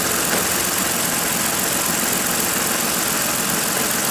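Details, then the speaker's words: 2014 Ford Explorer 3.5 L V6 with code P0019, after repair: even idle with steady rhythm, no stumble or skipped beats under a bright hiss; misfire gone. "Sounds good. No more misfire."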